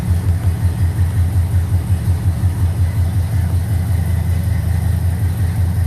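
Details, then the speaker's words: 1969 Trans Am tribute V8 cold start after months sitting, fuel poured into garage-sale rebuilt Edelbrock carburetor, no gas tank, manual oil pressure gauge showing good pressure: deep, slightly lopey even idle, no knocks or stumbles; runs, a couple of issues remain. "it does run so it lives I got a couple issues I got to take care of"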